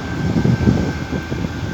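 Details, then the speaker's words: Window AC compressor that kept tripping, started after replacing the capacitor. Steady low hum with a faint even high tone under the fan rush, running normally. "Compressor কিন্তু আমাদের start হয়ে গেছে। Compressor start হলে কিন্তু এক ধরনের শব্দ হয়, এই যে শুনুন।"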